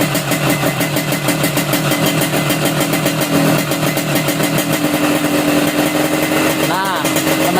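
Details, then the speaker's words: Yamaha RX King two-stroke carburetor idle crackling, rising in pitch and lightening as the air screw is turned counterclockwise, searching for the highest rpm and lightest throttle; lean-side air-screw mixture setting. "sudah dengar ya gasnya udah ringan ya kita cari lagi yang paling ringan pokoknya ya"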